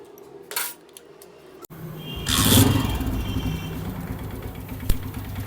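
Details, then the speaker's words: Honda CG 125 single-cylinder engine after oil-starvation repair with tappets adjusted: starts and idles with a lighter, regular top-end tick, much improved but not fully gone; low oil is blamed for worn pushrods, and rocker pins, cam gear and bearings may also be damaged. "यह bike start हो चुकी है आप आवाज भी सुन सकते हैं पहले से बहुत ज्यादा बेहतर हुई है 100% कंप्लीट नहीं ई"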